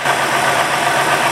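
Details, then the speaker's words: 2000 Ford F250 Super Duty XLT Triton V10, 137,000 miles, idling after all coil-on-plug units were replaced; it had misfired with no codes, water found in plug wells 7 and 10. Even, steady idle with smooth hiss, no skips; normal idle. "I needed up putting all new coil impacts on all the plugs and everything trick runs really good now yes it's a truck works really hard everyday it's kind of hundred and thirty seven thousand miles on and right now it's running like it was grabbed"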